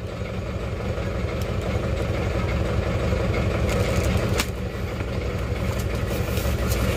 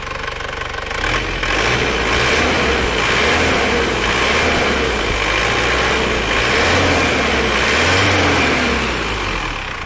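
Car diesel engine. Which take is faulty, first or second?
first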